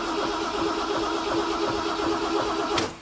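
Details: 1968 MGC after installing a refurbished distributor and new coil: starter cranks at an even beat for about three seconds and the engine never fires; no start traced to a bad ignition coil.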